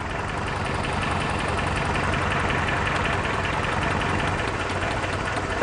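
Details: Toyota 4Runner petrol engine idles unevenly, its steady beat broken by an irregular stumble, a rough idle from a misfire later diagnosed with a test light.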